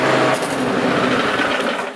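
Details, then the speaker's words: Kohler lawnmower engine after prying the governor spring plate up about 1/8 inch, speed raised from 2300 to 3189 rpm: fast, steady high-pitched drone holding even before fading; normal governed speed. "And you can see that made a substantial improvement in the RPMs and it's going to cut grass a lot easier now."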